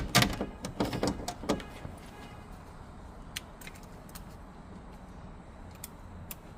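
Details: Ford Transit front door closing: run of sharp clunks and loose metallic rattles, then quiet; something loose inside the door.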